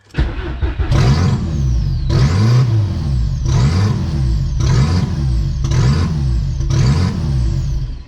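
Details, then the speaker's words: VW Golf 3 with a 1.8T swap on an open downpipe: the idle surges about once a second with loud turbo whistle rising and falling, from a vacuum leak at a missing brake booster hose. "right so still searching like crazy but holy crap there's so much turbo noise right now the car is just open downpipe um but just all of the turbo but yeah the cars are searching like crazy um can't find a steady idle"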